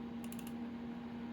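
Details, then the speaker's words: Tektronix TLA5202 logic analyzer CD-ROM drive reading a music CD: a steady low hum as the disc spins up, with a brief burst of light clicks as the head seeks; drive works normally. "Does the CD ROM drive work? I guess we're going to find out. Again, none of this really matters for what we're doing, but let's find that out now. I hear it spinning up. Does it work?"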